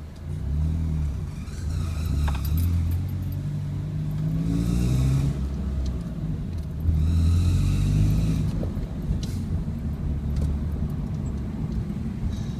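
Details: 2001 Honda Civic ES manual, ~128,000 km, new timing belt, tensioner bearing, water pump and belts; droning rumble with faint irregular ticking only at 2000 rpm or lower, gone at high speed; cause unknown.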